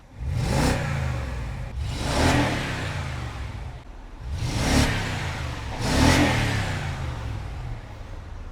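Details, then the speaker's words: BMW E70 X5 N62 4.8L V8, warm after valve stem seal replacement: four clean throttle blips that rise and fall smoothly with no knocks, rattles or stumble. No blue smoke; a healthy-sounding V8. "that's one good sounding V8 it's been idling now for about 14 years so let's push the throttle and see what happens"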